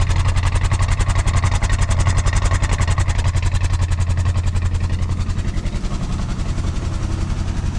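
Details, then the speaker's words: 1970s Chevrolet C-10 Custom, revived after about 30 years sitting, idle turned up, no radiator fitted: firm, regular low thumping at slightly raised idle, even beat with no misses; runs smoothly. "All right, guys, well, she is a runner and that is pretty cool."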